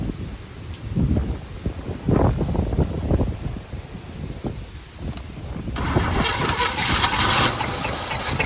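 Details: 1985 Chevy C10 half-ton, 305 V8 with stock Quadrajet, backfiring, owner suspects fuel or his distributor install, carb tapped and bowl filled: coughs and stumbles with lumpy firing, no steady idle, wind noise; rough running after start.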